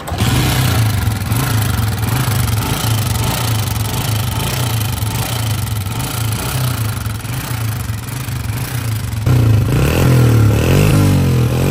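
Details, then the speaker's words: Honda CG 125, 2011 model, with engine noise and smoke issue, before top overhaul: single at lumpy idle with uneven light ticking over low thump, rising with revs; valve train noise. "इस bike के engine के अंदर भी बहुत सारी आवाजें हैं आपने सुनी, और स्मोक का भी इशू है।"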